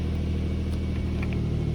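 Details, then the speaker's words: Nissan after DIY exhaust leak fix with bandage and tape: even, deep idle rumble with no ticking or puffing at the pipes; exhaust sealed and quiet, normal idle. "look at that we are mechanic so now the car is quiet we're ready for our camping trip ready to be"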